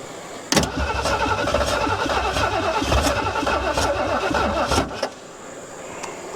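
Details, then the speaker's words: 1973 Ford Mustang Mach 1, 351 engine, sat abandoned over 15 years, first start attempt jumped at the starter: steady cranking about four turns a second for four seconds, barely a sputter, no catch. "Well, I think it sputtered just a hair."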